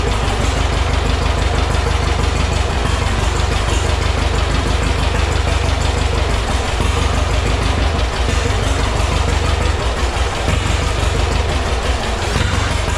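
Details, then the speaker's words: Heavily modified John Deere A tractor, slight throttle: steady even pop-pop beat around three per second with a low solid thump, no misses or knocks; oil pressure about 18 psi, running normally. "yeah she runs just about 18 pounds which is about where they should run actually we've got no leaks at the oil filter which is like perfect the starter works"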